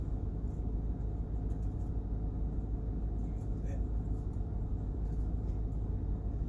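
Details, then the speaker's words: 1994–2004 Ford Mustang HVAC blower, engine running, after replacing the faulty blower motor resistor: steady, even rush of air through low, M1, M2 and high, rising with each speed, with no squeal or ticking; repaired, normal operation. "so it's running in low running in M1 a little bit faster running in M2 even faster and running in high so it's working in all speeds now so now we know it's repaired"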